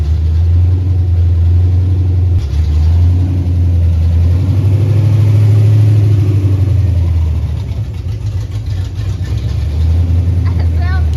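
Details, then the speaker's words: 1964 Ford Galaxie wagon with swapped 5.0 302 V8, Comp Cams hydraulic roller valvetrain, Weiand intake, Holley 650 carb, Hooker headers, first start: deep, even rumble swelling smoothly with throttle, no misses or knocks. Normal running. "that's awesome it sounds so good second attempt that's not bad huh"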